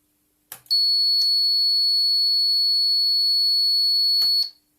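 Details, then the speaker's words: Toyota Prius Gen 2 inverter on the OpenInverter FOC system, heard through a small speaker on resolver pins 4 and 5 in run mode: clean, steady high whistle near 4 kHz for about 3.5 seconds; normal resolver excitation signal. "that is the excitation signal being generated."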